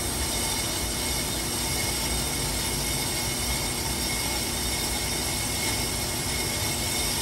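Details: Steady, even hiss and hum with no chatter or grab while a brake lathe on slow feed makes the finishing cut on a 2008 Ford Flex rotor; cutting smoothly and leaving a smooth finish.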